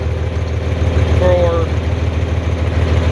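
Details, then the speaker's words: 4020 LP propane tractor just started after a slightly flooding dose, idling on vapor. Low, steady idle at about 200 beats a minute with an even, unhurried rhythm. It runs cleanly on vapor, which is fine for light tasks. "okay so now you're up and running [Music] you're running on vapor for most light tasks that's just fine you can run on vapor all day long"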